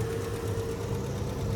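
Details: Barn-find Chevy V8 on day three of Power Tour, oil burning and leaking, oil pressure still pegged: a steady idle with a faint, light ticking on top. A new, concerning tick whose source isn't pinned down.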